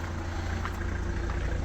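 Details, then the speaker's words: 2008 Opel Zafira diesel after starting: steady low idle rumble with no knock, miss or rattle, and no smoke. Particulate filter in place and no error lights; the engine runs smooth and even. "І заводимо супер завівся не димить не коптить"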